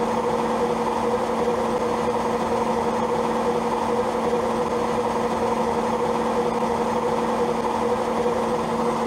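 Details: Old Zanussi automatic washing machine during spin: loud steady drone with a constant low hum and shaking throughout, machine visibly moving; cause unknown, owner plans to call a repairman.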